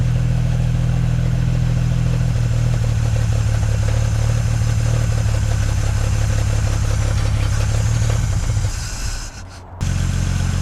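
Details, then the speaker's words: Six-cylinder engine in a 1950s Dodge Meadowbrook on a 6-volt battery, carburetor primed with gas: a low, steady, even beat with a smooth idle and a brief dip near the end, no knocks or misses; oil pressure and generator gauge fine. "That sounds pretty good. The oil pressure is good and the alternator or the generator gauge is fine."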